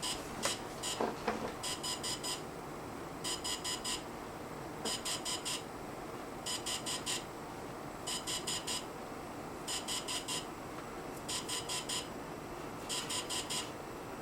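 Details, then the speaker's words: DJI Phantom 3 drone updating its firmware: groups of four quick high beeps repeat about every 1.6 seconds, the normal tone signalling the update is in progress. "it's like 1 2 3 4 1 2 3 4 1 2 3 4 that sound you're hearing right now Now 1 2 3 4 1 2 3 4 1 2 3 4 that's the sound you're going to hear to that's its way of That's The Way of the Phantom saying hey man I'm updating the firmware right now don't bother me"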